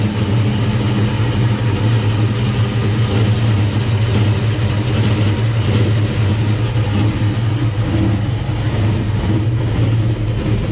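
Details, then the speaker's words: 1969 Comp Cams Camaro V8, cold start after not running for a while, with Driven racing oil: deep, steady burble, even beat, no misses or knocks; healthy smooth idle. "let's listen how smooth it is with that driven race noil in there it's going to take it a second it hasn't run in a while code start"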